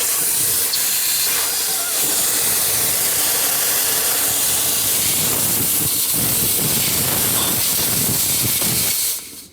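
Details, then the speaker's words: Shuttlewagon 6030 railcar mover, air control valve for couplers, sanders, air knives and horn, before replacement with update kit: loud continuous air hiss with no shut-off, valve stuck open so horn would sound nonstop. "Which basically, if I had this hooked up right now, that air horn would be going off nonstop. That's stuck in the open position."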